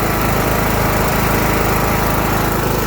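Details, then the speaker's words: Craftsman LT2000 riding mower single-cylinder engine after carburetor replacement, mixture screw set 1.5 turns out, started with starting fluid: steady even putter at fast idle, no misses or knocks; runs great, normal running. "Runs great. Now we got it running good."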